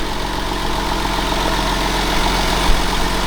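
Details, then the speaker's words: Crash-damaged 1999 Porsche 911 (996), not started in about 12 years, settles into a steady idle with a faint tick and hum and no stumbles or misses at first start, run briefly with no coolant; sounds decent. "all right we don't have coolant so let's see sounds decent one is all right"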